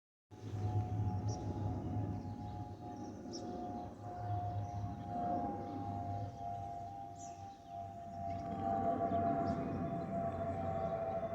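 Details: Spirit Airlines Airbus A320-232 N615NK, flight NK380 FLL-DTW: a steady mid-pitched whistle over the jet rumble, rising and fading with airflow; the normal fuel over-pressure protector (FOPP) cavity whistle.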